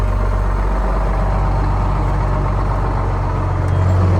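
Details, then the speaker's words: Retired 1979 fire truck, two-stroke Detroit diesel, sat a couple of years: strong, even drone building cleanly with throttle, no knocks, misses or rattles; engine runs flawlessly, though the transmission is bad. "We figured this one would crank right up. It's a shame that transmission's bad, because this motor runs flawlessly. It sounds amazing."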